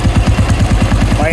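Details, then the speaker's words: Old 1985 Royal Enfield Bullet, set up to run on points, TCI or CDI ignition, started on performance points: even steady thumps at about nine a second, no missed beats; single-cylinder engine idles normally. "பாயிண்டில் இப்போ start ஆகுது."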